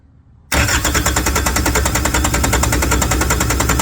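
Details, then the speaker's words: Yanmar TK486 4-cylinder diesel bought used, cranked with the fuel shutoff solenoid jumped by wires: a steady starter churn, about three compressions a second, that never catches; fuel leaks at two injection lines found cracked loose. "I must be getting fuel, because I am leaking fuel up here at both injection lines. So it looks like somebody's had these cracked loose."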